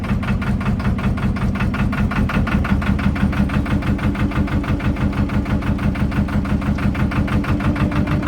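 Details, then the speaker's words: Narrowboat's Lister diesel with SL4 gearbox, started after checking gearbox and engine oil, idling: loud steady thump about three beats a second, even rhythm, no knocks; healthy idle, though the engine is quite loud inside the boat. "One of the negatives of this boat is when the engine is running, it's quite loud."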